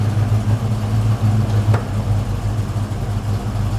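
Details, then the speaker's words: 1969 Chevrolet Chevelle with newly installed FST Billet X-treme carburetor, idle mixture slightly rich, in gear: smooth even low rumble with steady beat, no misses or knocks; healthy settled idle. "yeah okay that sounds really nice"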